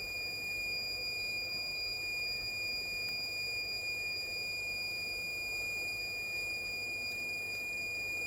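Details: Dead Asus TUF FX506L laptop, short killer drawing 3 A into the shorted main power rail: steady unbroken high beep while a spot near the memory heats to 56°C, likely under the board; short from a bad MOSFET.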